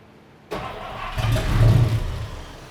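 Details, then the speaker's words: 1953 Studebaker hot rod engine freed up after 60 years stuck and not run, given a little fuel: brief crank, then catches cleanly into a steady, even low rumble with no knocks or misses; healthy start. "Then it fired up. It sounded like a million bucks. And it spins beautifully now."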